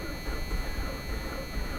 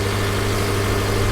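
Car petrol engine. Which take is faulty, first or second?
first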